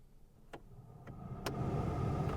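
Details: 2005 Suzuki Wagon R+ GL, 87,000 miles, abandoned car, ignition on: heater blower switched through speeds 1–4, clicks with air rush growing louder each step; normal heater blower operation on every setting.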